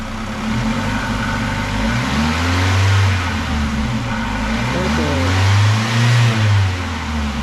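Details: 2000 Ford Contour 2.0 after intake gaskets and cracked vacuum hose repair: steady low engine note swells smoothly on two even revs and settles, no misfire or hiss; engine healthy.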